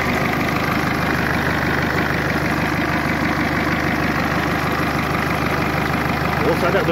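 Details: Mercedes A-Class 170 CDI diesel after replacing the failed turbo: steady, even idle with a smooth regular beat and no whistle, knock or hunting; normal idle, fault was the turbo.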